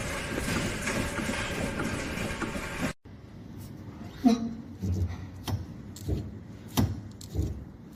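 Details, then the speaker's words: Car suspension at low speed over small bumps: irregular hollow clacks and knocks typical of worn sway bar links or bushings, intermittent and often gone on smooth straight roads. "One, knocking over small bumps, sway bar links and sway bar bushings. Typical symptoms, an intermittent knock over small bumps at low speed that often disappears on a smooth straight road."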